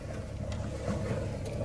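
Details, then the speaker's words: 1977 Folkes 39 steel cruiser, 3QM30 30 HP freshwater-cooled diesel, about 541 hours since its 2005 rebuild, on a dead cold start. It fires first try into a low, even idle with a soft exhaust burble and no misses. Normal idle. "Wow, it doesn't get much better than that. Fired on the first go. Beautiful. Gotta like that. Fired right up right instantly."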